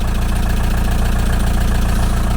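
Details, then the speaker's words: 1987 VW T3 camper with AHU TDI diesel, just after replacing a blown turbo with a used unit, first start after months sitting, not revved: steady, even diesel idle with regular low firing pulses, no knocks or rattles; running normally with oil pressure. "I'm not going to be revving it I can assure you we have all the pressure all right that sounded good everything's looking all right here"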